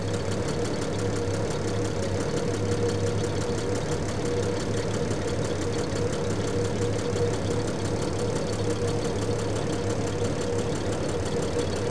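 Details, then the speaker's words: 1975 Triumph TR6 PI straight six, Lucas mechanical injection, warm idle after mixture set back and leaned a touch (about 20 rpm change): steady, even idle with smooth low throb, no misses or knocks; normal, happiest setting. "there's the slightest change in RPM I mean I'm talking maybe 20 RPM a minute something like that about there is where it's happiest"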